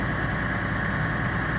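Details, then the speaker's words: 2005 Challenger MT535B tractor, CAT engine, about 5,700 hours, cold start after FASS Titanium fuel pump replaced the mechanical pump, primed with key on: steady fast diesel rumble, even beat, no misfires or knocks; automatic high idle, normal. "so I'll go ahead and start it automatically went to a high item by itself and once it's warm"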